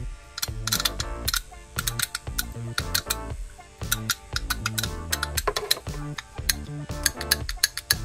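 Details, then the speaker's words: BMW VANOS camshaft actuator solenoid, removed over a cold-start problem, pulsed on the bench after cleaning; crisp, sharp, firm clicks in quick consistent bursts, whereas before cleaning it barely clicked: normal solenoid clicking. "il claque bienentendez là onend bien claquer là là il fonctionne bien"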